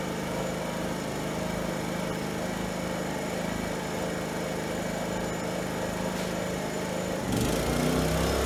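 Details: Fuji Micro inverter generator after repairs (cleaned carburetor, valves, compression release, primer, recoil, fuel): smooth, even drone at constant speed that steps up briefly under load. Runs clean and makes power, normal running.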